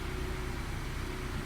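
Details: 1997 Honda Prelude after a valve job, head gasket, manual timing tensioner and a replaced crank position sensor that had shorted and caused crank-no-start: short, steady, even low rumble with no knocks or misses. Healthy idle.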